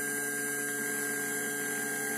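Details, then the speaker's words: MP3 Bluetooth module installed in a Polytron compo tape deck: constant buzzing hum of evenly stacked tones from dirty supply voltage; it goes quiet when a 1000 µF 16 V filter capacitor is added and returns when the capacitor is removed. "ini ndak langsung diam kita lepas langsung bunyi lagi sangat berpengaruh ini jika kita pasang Elco ini Suarakan sangat jernih ya terlihat terlepas langsung berdengung lagi"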